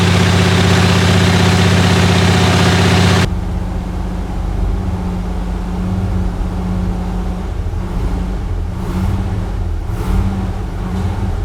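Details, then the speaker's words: Chrysler 300J with 413 Cross Ram V8, just reinstalled and started during carb tuning. Loud opening burst, then steady, even low idle with smooth rhythm while warming: normal warm-up idle. "hey here we go I need to be warmed up okay let me warm it up"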